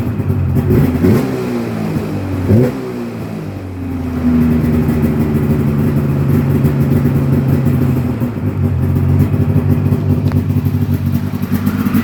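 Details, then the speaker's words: 1996 Polaris XCR 440 Special snowmobile revived with EFI, 500 twin with XCR pipe, without the correct skid; fires right up, crisp two-stroke idle with very snappy, clean throttle blips, runs well. "fires right up. Throttle is super duper snappy. This XCR pipe on a 500 twin sounds beautiful."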